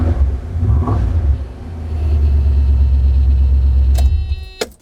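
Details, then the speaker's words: 1989 Mercedes W126 420SEL V8 bought as-is, start-up and idle: deep heavy rumble settling into a loud throb, far too loud for this car, which should be quiet; source of the loud exhaust still to be found on the lift. "so as you heard it's kind of loud if this was a Camaro you'd say man that sounds good"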